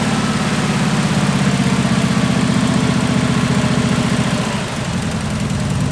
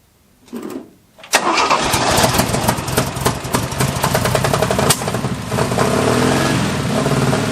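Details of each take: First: 1974 Jeep CJ5 rock crawler just started after years sitting: a low, loping, uneven idle that stumbles. Idle is raised to keep it running while varnish and stale gas clear through the carburetor. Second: 1974 Jeep CJ5 rock crawler first start after years sitting, with fresh gas, penetrating oil in the bowls, plug wires refitted and a fresh battery. A few seconds of cranking, then it catches and settles into a steady idle: normal start.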